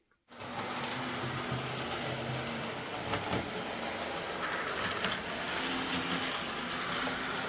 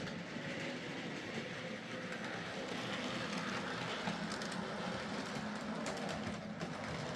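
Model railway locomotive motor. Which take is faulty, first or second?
first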